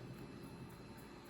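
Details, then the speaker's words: John Deere animated tractor alarm clock whose tractor would not move, after oiling the little motor's front bearing with old sewing machine oil. Soft, even whir with a steady low hum and no catching or scraping; the motor sounds good and spins freely. "because that little motor sounds good and free."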